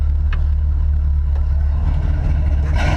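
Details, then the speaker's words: 1972 Ford F250 4x4 Highboy, 390 FE big-block V8 with long-tube headers, Edelbrock 600 cfm carb and RV cam, started in neutral: deep, steady, lopey idle rumble with no knocks or ticks; healthy idle. "sounds pretty [ __ ] beastly"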